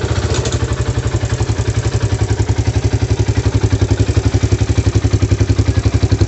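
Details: Yamaha Vega ZR motorcycle engine, complaint of rough, harsh sound and white exhaust smoke: heavy, coarse thumping about four beats a second with harsh clatter each stroke; worn, unevenly worn cylinder and piston, replaced.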